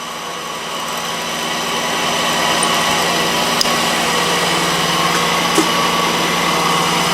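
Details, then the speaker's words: Mazda 626, cold start: steady whirring squeal with faint rapid chatter about four a second from a bad pulley bearing, 19 years and about 125,000 miles old; noise quiets within seconds as it warms. "yes I'm sure right away you can hear that noise and you mean you know something isn't right that's the sound of the pulley bearing"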